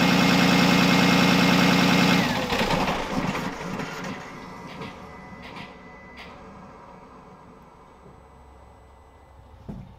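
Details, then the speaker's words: 6.7 L Cummins turbo diesel truck shut off from about 1200–1500 rpm: engine cuts abruptly, then a faint fading whistle as the turbo keeps spooling down with no oil feed; idling down before shutdown is advised. "i got my big camera here with the microphone so you should be able to pick up hearing that turbo still just spooling away with no oil feed to it so we'll see what happens"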